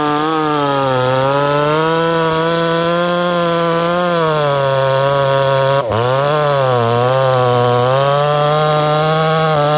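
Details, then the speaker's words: 268 chainsaw after five tanks of break-in fuel, with a modified exhaust port and a lighter aftermarket pipe. It gives a strong, clean steady note with a brief dip and recovery, running healthy and rich on startup during break-in. "nice thing is you guys heard that saw run look how nice and rich it runs upon startup"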